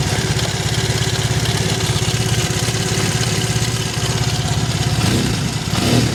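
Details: Triumph Bonneville twin after the right-side spark plug problem was fixed: steady, even idle with regular firing pulses and a brief blip near the end; both cylinders firing, spark plug issue confirmed as the cause.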